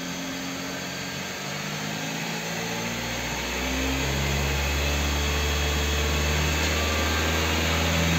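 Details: Kia K5 after connecting-rod bearing replacement from below without engine teardown, fixing a rod knock: smooth even rise toward 4000 rpm and holding, no knock or tapping; bottom end sounds healthy.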